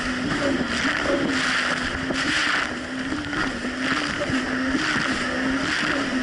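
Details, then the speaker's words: 2007 Yamaha VX Cruiser jet ski on Lake Michigan, previously surging and bogging: steady mid-pitched engine drone holding even speed under load over wind and water noise, no surging. Now running normally. "honestly the Jessie's actually running a whole lot better it's not doing the surging issue"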